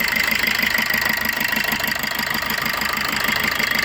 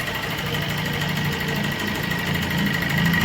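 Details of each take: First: 2018 Maruti Swift Dzire, previously jerking with only two of four cylinders working, after ECU board repair: even, steady idle with regular beat and no miss or stumble, all four cylinders firing quietly; normal idle. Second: 2018-19 Suzuki Swift Dzire: lumpy, shaking idle with an irregular loping beat; only cylinders 2 and 3 fire, 1 and 4 dead; customer-cleaned injectors didn't help, ECU suspected.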